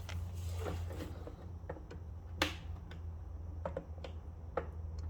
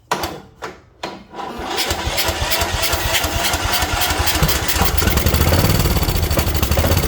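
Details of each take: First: Craftsman mower with Kohler Courage engine, engine not running, carburetor being removed: sharp irregular ticks over a low hum as the fuel shutoff solenoid clicks and energizes normally. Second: Craftsman mower with Kohler Courage: a few slow cranking turns, then catches and runs rough and uneven. Fuel starvation from a stuck carburetor needle; owner suspects a trashed carb bowl and butterfly position, carb removed next.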